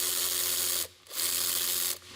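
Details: Makita DWR180 cordless ratchet after teardown, cleaning and reassembly, run in reverse: two short bursts of smooth high-pitched motor whir with an even gear buzz and clean stops; runs normally.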